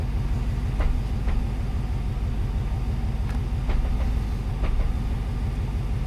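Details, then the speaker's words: 1994 Corvette C4 LT1 V8 idling in neutral with the clutch out: deep lumpy rumble with sharp light clicks about once a second; owner suspects misfire. "i don't know if you can hear it but there's like a thud it went goes from a click to a thud with the same regularity"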